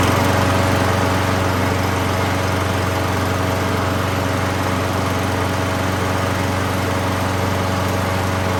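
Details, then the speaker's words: 6.5 hp 21-inch Craftsman mulching mower rescued from a scrap pile, just after first start: even, steady drone at constant speed with no misses, surging or vibration; small engine running smoothly. "okay well I guess maybe it won't be as bad of a fix as we thought and one thing I did notice I'm missing it's not vibrating you know"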